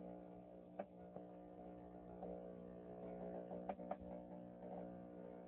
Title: Power Jack inverter 6000 making Popping noise